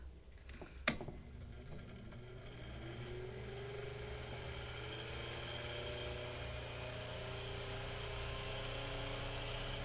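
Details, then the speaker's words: Mainstays 9-inch high velocity fan, just cleaned, oiled and blade-balanced, final test in a freezing room below 30; soft whir climbing in pitch as it builds up speed, smooth, no rattles or scraping; normal spin-up. "all right built up some speed so it's good enough for the test"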